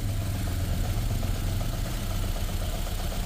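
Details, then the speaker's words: Ford Figo petrol/CNG idling with a lumpy, uneven low beat and very bad vibration felt inside the car, an engine misfire before the cylinder is identified; later traced to faulty head valves. "यह ऐसे vibration है गाड़ी के अंदर मतलब बहुत बुरा vibration"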